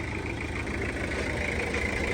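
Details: Toyota Hiace van, 2.5 L diesel (seller calls engine very good), idling: steady, even diesel clatter with no knocks, misses or odd noises; normal idle.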